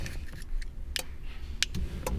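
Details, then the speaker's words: Honda S2000 on stock exhaust, cabin recording of the exhaust cutout valve actuator box under the centre console, getting power; sharp light clicks at uneven intervals but valve never shuts, leaving it effectively straight-piped; actuator clicks, valve does not move. "You can hear it click, but the valve isn't shutting. So when we start the car, basically just straight pipe."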